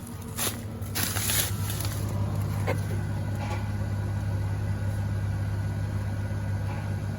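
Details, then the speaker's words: 2022+ third-gen Toyota Tundra with factory airbags, about 1140 lb load in 6.5 ft bed, engine idling in neutral: steady low hum of air suspension compressor with brief clicks, raising the squatted truck level; normal. "So we're in the neutral position. You can already hear it. The compressor's going."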